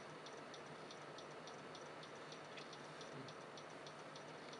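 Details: PC stuck on startup repair and not loading, with system restores deleted: faint regular ticks about twice a second over a quiet hiss. Owner suspects a failing hard drive.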